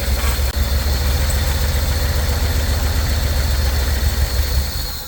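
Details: 1964 Chevy C10 original engine, run briefly in the cold with no radiator: a lumpy low idle thuds along for a few seconds, then fades and dies. Fuel starvation is suspected, possibly a kinked hose or poor gravity feed, not confirmed.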